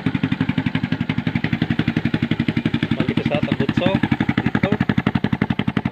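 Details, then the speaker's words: Motorcycle with rusted-through hole at the very bottom of the muffler, before fitting a second-hand replacement: loud, raw, blatting exhaust pulses at steady idle, about four per second, far too harsh; holed exhaust muffler. "Ano ba yan? Para na pambot. Ginagawa mo."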